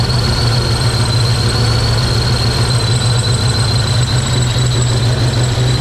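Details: Project car V8 just after first start in 11 years: heavy uneven loping throb with high steady whistle on top; rough running, cause unknown, compression test planned.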